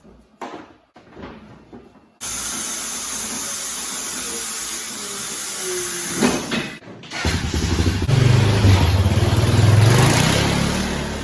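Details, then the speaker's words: 2000 Honda Foreman 450 ES ATV, 618 original miles, after fuel petcock replacement; quiet start, steady low rumble rising evenly with throttle, no knocks or rattles; running good, no issues. "it's electric shift obviously electric start running good no issues there"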